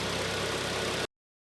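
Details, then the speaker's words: Kia Sportage 2.0 G4KD, automatic, front-wheel drive, nearly 250,000 km: first start after repairing a severe piston knock, cold with the climate control off. A smooth, even idle with no knocking or ticking; the engine sounds healthy. "работает ровненько работает Ага тут уже дверка у нас открывалась Опа работает тихо никаких посторонних шумов я не слышу"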